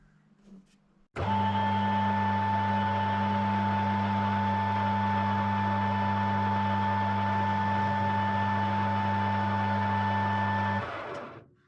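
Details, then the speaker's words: New metal lathe, run in, fresh oil, ways oiled, tool centred, first facing cut: steady low motor hum with a fixed high tone, starting and stopping cleanly with no chatter. Normal running. "Well, there we are, a successful first cut, first time on a lathe."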